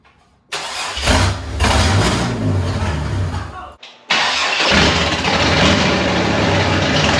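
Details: Turbocharged 1951 Chevy rat rod, first start after wiring and battery hookup: catches almost instantly, cuts out briefly, then fires again and settles into a rough but steady run; healthy start.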